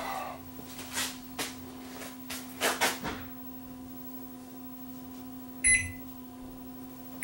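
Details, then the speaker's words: Panasonic inverter microwave run with no fuse, input limited to 100 W by current limiter: steady low hum with a few clunks and short beeps as it tries to fire the magnetron and powers up normally. "let's just see whether this thing will try to fire up the magnetron"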